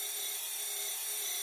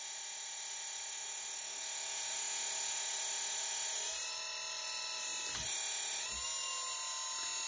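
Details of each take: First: Small hydraulic pump on an RC Hidromek excavator, just started: harsh raspy hiss with a thin whine and air bubbles entering; there is oil in the tank, but at times not enough for the pump to suck, causing cavitation. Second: RC hydraulic Hidromek excavator after bleeding air by fully cycling the cylinder: steady high-pitched pump whine, pitch shifting slightly with load, with no gurgling or rattle; normal cavitation, no more air bubbles.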